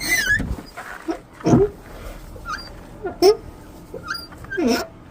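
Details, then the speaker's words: Car door hinge swung: short whiny squeals bending in pitch from a dry hinge; fixed by spraying WD-40 on the hinges, squeal disappears instantly. "in this video I'm gonna give you a quick tip how to get rid of squealing door noise. If you have a squealing sound just like mine,"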